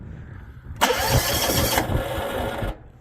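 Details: Old John Deere GX75 riding mower that sat 8+ years, old fuel flushed and a borrowed battery fitted, first start attempt with brake on: cranks, sputters and catches about two seconds, then dies. It needed choke.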